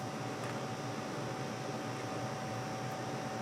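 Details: Newair NAC10KWH01 10000 BTU compact portable AC running on AC mode at lowest set temperature, 82.2°F ambient: steady even fan whoosh over a low smooth compressor hum, no rattles or cycling; reaches 54°F output within about 60 seconds, working normally.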